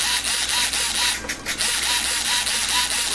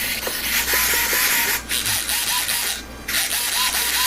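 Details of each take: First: Rebuilt UMX 300 micro RC plane, elevator servo: rapid buzzy, rough gritty whirring in short regular bursts as it sweeps back and forth; glue or something got into the servo, owner must ensure it doesn't stick. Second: Rebuilt UMX 300 micro RC plane, aileron/rudder servos (unlike the glue-fouled elevator servo): short clean whirring buzzes sweeping back and forth, no grinding or sticking; they move freely and sound fine.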